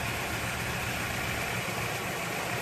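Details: Toyota AE86 with freshly rebuilt 4A-GE, idling after ignition timing set per factory manual (about 17° on indicator) and TPS/throttle body adjusted: steady, even idle with constant hum and fan hiss, no misses or knocks; healthy, correctly timed.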